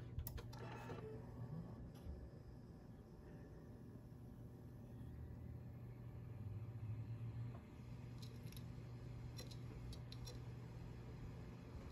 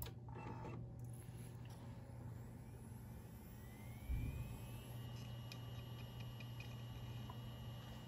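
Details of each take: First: 2TB Seagate Barracuda hard drive tested in a Dell OptiPlex 790 SFF, suspected dead: quiet hum with scattered irregular sharp ticks; failing drive clicking, not detected in BIOS. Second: 320 GB hard drive in a Dell OptiPlex 790 SFF spins up with a quiet, smooth whine rising steadily then holding, no clicks; normal spin-up, drive detected.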